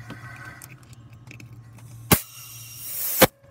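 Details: Chevy Cruze with custom aftermarket turbo setup during a boost leak test: a sharp hiss of escaping air lasting about a second in a quiet shop; intake air leak.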